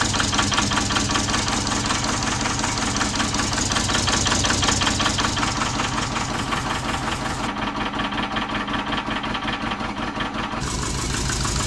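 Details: Subaru Forester with big turbo and new stage 2 cams, run on engine stand outside: loping, uneven idle with heavy irregular beat; idle set too low, target 1500+ for cam break-in.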